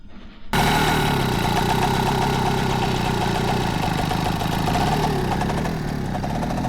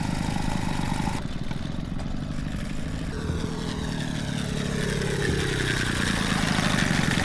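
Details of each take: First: Peugeot 102 two-stroke moped after clutch reassembly: catches after a brief crank and settles into a steady, even idle with no knocking or rattling; normal start and idle. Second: Peugeot 102 two-stroke moped after clutch reassembly, slightly smoky: buzzes and revs unevenly then note drops away; clutch now slips but still has a hard time stopping, slightly sticky, clutch drag.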